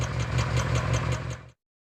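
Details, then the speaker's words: Honda CR-V with hesitation and unstable rpm but no check engine light, heard at the exhaust: lumpy idle with an uneven low thump about five times a second; one cylinder dropping out. "Jika terjadi kasus yang semacam itu, maka kita langsung menganalisa bahwa ada salah satu silinder yang tidak berfungsi. Penyebabnya bisa dari sistem pengapian, yaitu dari sinyal positif koil yang dari ECU tidak ada, atau koil atau busi yang mengalami kerusakan."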